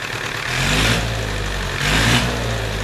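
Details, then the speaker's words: IH B275 four-cylinder diesel tractor, bought as non-running: runs on all four cylinders but the revs swell and drop twice in three seconds, hunting; rack was stuck and freed, owner suspects a bad governor. "but the rack seems to be stuck i freed it up probably the governor's bad all right let me take it apart and see if i can see if it's got a bad governor"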